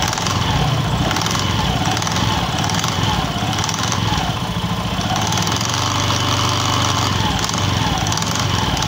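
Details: Honda Beat FI scooter running with a loose, chattering "kletek" rattle from the CVT rear pulley, suggesting clutch shoes grabbing the bell unevenly.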